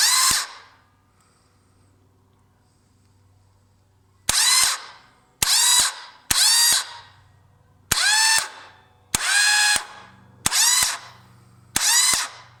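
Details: 1998 Yamaha Virago XV1100 won't start despite a good bendix, new idler gear and fully charged battery: eight short, high whirring starter bursts with silence between; the starter spins but the engine never catches.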